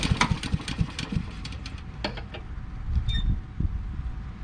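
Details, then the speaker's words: Honda HRX2168 VKA mower; quick pull-cord cranks that puff but never run, then die away; faulty auto choke not closing, starts only with starting fluid; fix is replacing thermo wax cartridge. "the auto choke on this is giving problems it won't start unless you spray starting fluid in it we're going to fix that let's see if this thing runs it probably won't because it won't choke but we'll give it a try"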